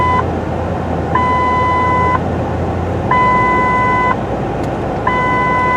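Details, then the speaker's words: 2008 Ford F-150 with a complaint of the parking brake dinger going off constantly. While driving, a repeating two-tone chime sounds about every two seconds alongside the seat belt dinger. A low brake fluid warning is suspected, not confirmed. "then we had two different audible tones here we have this tone that's going off plus we had what i would refer to as their normal seat belt dinger"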